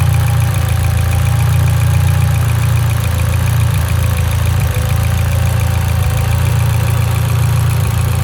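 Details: Mitsubishi Evo X at idle: deep idle that loses its rhythm now and then with a faint stumble. An idle misfire, suspected to be from a lean condition, not confirmed.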